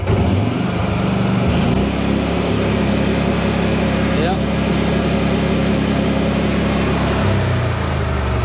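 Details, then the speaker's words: 2018 Mahindra Retriever 750 UTV V-twin, in for a charging fault: revs climb quickly and hold a flat steady drone on the governor at about 4,000 rpm (4,100 max in neutral), then drop back. Engine at governed maximum speed. "Governed right at 4,000 RPMs. So not only are they using a lawnmower engine in that thing, they're actually using the same RPMs that it puts out in the lawnmower, like 3,900."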